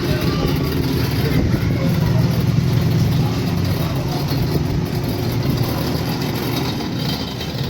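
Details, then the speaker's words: Air fryer fan running with loud, steady low whirring and a rough fluttering edge; fan motor noisy, maybe bent or worn, cause not confirmed. "المروحه صوتها مزعج اول حاجه نشوفها بس لو معوجه او سليمه او فيها مشكله"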